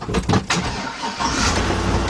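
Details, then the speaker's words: V8 (5.3, 2000–2003 Tahoe/Yukon/Escalade) just after fuel pump and fuel filter replacement: key cycled three times to prime, then a few quick cranks, catches and settles into a steady, even idle; fuel leaked out after starting. "Starts up and run like a champ."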